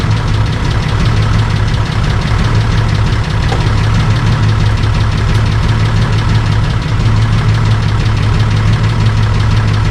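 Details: Holden VL Calais Turbo after a bigger turbo upgrade and a different exhaust and muffler, first start: deep, loud, even exhaust rumble at steady idle with no misses or rattles; running fine.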